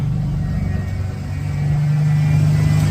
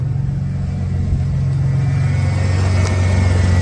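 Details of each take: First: 1991 Ford Bronco V8 under restoration, timing set at 10° BTDC: steady deep rumble idling slightly high with no load; owner suspects a slight vacuum leak. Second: 1991 Ford Bronco during restoration, timing set to about 6°: smooth, even low idle with steady beat, no misses or knocks, down to about 850–900 rpm; owner happy though would like slightly lower.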